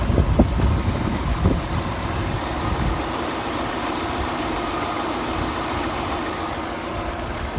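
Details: VAZ 21124 16V: a rough, uneven tapping over a steady idle, loudest at first then settling into a constant light knock. It sounds the same cold and hot, and the source is undetermined.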